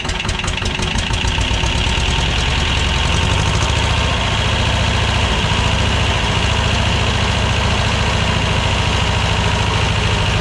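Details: 1985 Belarus 250AS diesel tractor, revived after sitting 8–10 years, after trying a fix: steady gruff run about 200 pulses a minute, typical clatter, no stumbling or misfire; running normally.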